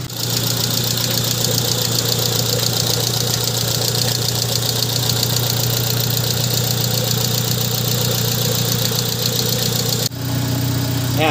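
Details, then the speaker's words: 2002 Honda Civic after valve clearance adjustment (tune-up): steady, even idle with a smooth low hum; the earlier clicking/ticking from the top end is gone, and the valvetrain sounds quiet and healthy. "Wala na siyang clicking sound o parang lumalag tik kailang na guys Ayan so Ayan guys narinig niyo ' ba sobrang pinong-pino na nung andar ng makina natin"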